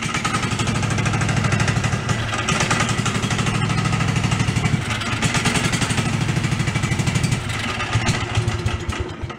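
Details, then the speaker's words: DR field and brush mower abandoned since 2009, first run with no choke on fresh gas: lumpy, clunky idle, seemingly on one cylinder; owner suspects valve adjustment, bottom end or drivetrain, source unclear. "Yeah, it's a little clunky. It could be valve adjustment too, but it sounds like bottom endy, or it could be just part of the drivetrain."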